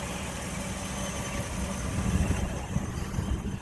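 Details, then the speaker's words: 1960 Chevy Biscayne 235 six, rebuilt after a mislabeled rod cap caused number one rod knock and low oil pressure, idling at a stop on a 100-mile test drive: smooth, steady low rumble, no knock or tappet tick, no leaks. "She seems real smooth, no leaks. Can't even hear the tappets anymore. She's wearing in good."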